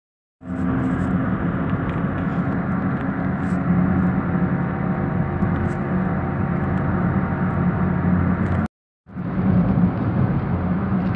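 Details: Front-wheel-drive vehicle jacked up, wheels spun by hand. The left rear gives a steady low rumble with a droning hum: a worn wheel bearing, though no wheel felt loose when rocked by hand.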